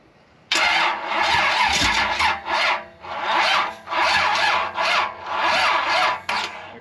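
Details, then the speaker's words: Fresh 355 engine on a stand, first start: repeated cranking bursts each sagging and stopping without catching; starter labouring, battery run down after wires were moved. "I think we're out of battery now that's what it was I wasn't thinking cuz we moved our wires"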